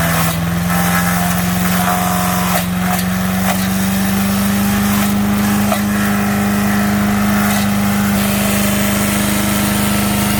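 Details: MTD 5 HP chipper/shredder, after carburetor kit repair, chipping branches: single-cylinder engine holds a steady drone with a low hum, dipping slightly as branches feed through; running fine under load.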